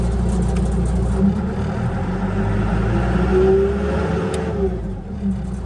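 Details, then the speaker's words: Bomag Hypac sheepsfoot vibratory roller diesel, new throttle switch installed, starting-relay fuse problem under investigation: steady low rumble picking up smoothly and holding even with no misses or knocks; normal running and throttle response. "Switches in. Throttle's working again."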